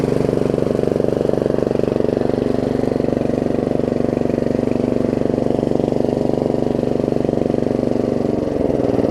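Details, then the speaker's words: Yard Machines 38-inch 13.5 hp Briggs & Stratton riding mower, deck reinstalled: a steady single-cylinder chug with constant whirring, and the belt still turns slightly after disengaging. Blades won't stop because of a weak blade tensioner return spring. "it looks like the belt's still moving a little bit works so still turning a little bit"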